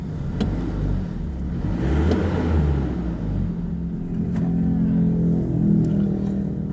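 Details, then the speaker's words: Isuzu D-Max diesel that would not start because the ECU locked the SCV after a faulty, internally shorted part skewed the rail pressure reading; after replacement it starts with an even, low idle and a brief throttle blip; runs normally. "เห็นมั้ครับเครื่องยนต์ติดปกตินะครับ"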